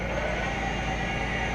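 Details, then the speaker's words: Clausing Metosa Spanish-built 15" x 45" engine lathe with variable frequency drive spindle: steady, even hum, no knocks, rattles or wavering pitch; spindle runs smoothly and slows down easily, normal. "You hear how smooth it runs. Look at how easy it slows down."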